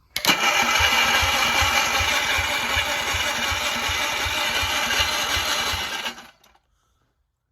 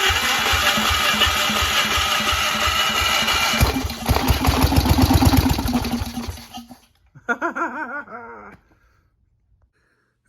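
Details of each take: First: Onan engine on a Gravely with a homemade Chevy LS2 coil ignition and crank trigger, first start attempt: steady starter chug about three turns a second for six seconds, never catching; cranks with some spark but won't fire. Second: Onan engine on a Gravely with a homemade Chevy LS2 coil ignition, after carb cleaner sprayed in: catches and runs with a rough, quick putter for about six seconds, then dies as the sprayed fuel burns off.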